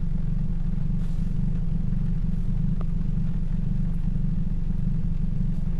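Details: 2007 Toyota Yaris 1.5L 1NZ-FE four-cylinder; steady, even low idle hum with no stumbles or skipped beats, firing cleanly on all cylinders.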